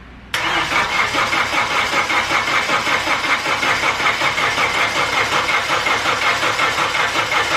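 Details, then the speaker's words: Mitsubishi 2G Eclipse: engine catches and settles into a fast idle with a steady rhythmic knock about three a second; possibly rod knock or a collapsed lifter, unconfirmed. "i don't know what that sound is it could be rodnock um i don't know i don't like it though"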